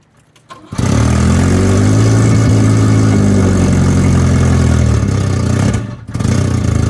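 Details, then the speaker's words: Volvo 245 wagon before an exhaust replacement: loud, deep booming drone with a hollow rasp that the owner says drones badly on the highway; exhaust leak from a cracked, blown exhaust. "do the exhaust because this thing drones really bad on the highway it gives me a headache"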